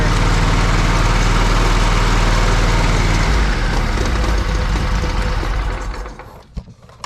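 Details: Lesco zero-turn mower with Kohler CV20 20 HP V-twin, after charging-system repair with a new part: steady, even putter at constant speed, then winds down and stops; sounds healthy, normal running.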